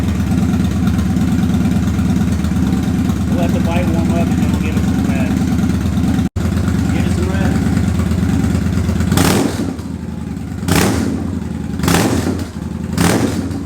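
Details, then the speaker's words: Victory High-Ball V-twin motorcycle cold start right after an oil change (20w50) and new LED headlight: loud, lumpy steady idle with crisp throttle blips rising and falling cleanly; healthy cold start. "let's go ahead and fire the biker and see what she sounds like oh yeah nice little cold start here we go"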